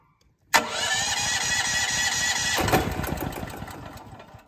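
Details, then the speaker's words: Generator on liquid propane, first test start for an off-grid well pump, choke lever set to run rather than start: short crank catches at once and settles into a steady fast hum that tapers slightly; clean normal start. "to clarify she runs but you don't need to put the carburetor on run i'm sorry on start you put on run and presto magicio she's alive"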